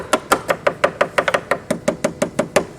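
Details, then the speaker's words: Bellanca wing, tap test at number 2 tail rib near inboard flap end: crisp taps about six per second, some duller where the wooden rib is rotten, solid elsewhere; rotten wood rib. "Right there is where the rib is. And as I move to the outer edge, my tapping gets dull."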